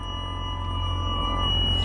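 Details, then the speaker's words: 2003 Mercedes SL55 AMG R230, bought with 78k miles, engine running: a steady high whine over a low hum from all speakers that reacts to the accelerator. The radio had cut in and out with a loud pop; owner suspects a failing amplifier. "Oh, God, sound like a transformer. Oh my gosh."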